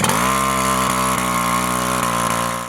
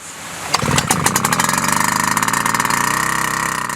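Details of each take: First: WICK 375 pump two-stroke engine after priming, first ignition and opening the choke: high, even buzz holding a steady pitch without misses or surging, then winding down; normal running. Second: Wick 375 pump two-stroke engine, flooded: choke open, throttle 3/4, several starter-rope pulls purge fuel; it catches and runs with rapid, slightly uneven firing as the cylinder clears. Flooded engine.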